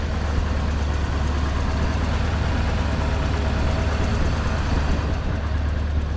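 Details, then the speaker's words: Mercury Villager ("Bobcat") petrol engine idling low, smooth and steady, no knocks or misses, after exhaust leak fixed and idle adjusted down; much quieter now. Normal idle. "idle's much better so much quieter now too"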